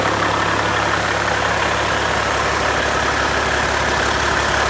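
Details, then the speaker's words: Freshly overhauled Caterpillar C-15 diesel, first start after rebuild: deep, steady idle drone with no knocks, rattles or misses; good oil pressure, no vibrations or nasty noises; normal idle. "okay well didn't throw a rod through the side got pretty good oil pressure um everything sounds good no vibrations no nasty noises"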